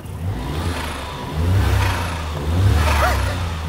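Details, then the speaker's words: Suzuki Cappuccino, 63bhp turbo, after new exhaust and plug-and-play aftermarket ECU, bonnet open: crisp revs with light turbo whistle; sounds more purposeful, ignition timing thought to give more boost; healthy. "this cappuccino now actually sounds like it has a turbo what it to that I imagine the ignition timing means there's more exhaust gas coming through now so it's creating more boost"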